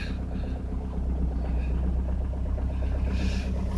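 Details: Citroen C5 jump-started from a dead battery on a very cold winter day, running on summer fuel. A low, even diesel rumble with a steady fast beat and no misses or knocks: a clean idle after the cold start, with no smoke.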